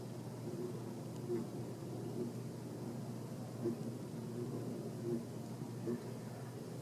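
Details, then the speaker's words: 42-inch Encon Casanova Supreme hugger ceiling fan, installed since about 2014, at low speed: quiet steady low hum with faint drone and gentle swells; motor is very hummy, unclear whether from mounting or the motor itself. "now i really don't know if it's the way that this thing is mounted or what or if it's just like how the motor is but this thing is really hummy i don't know if you can hear that if i be quiet"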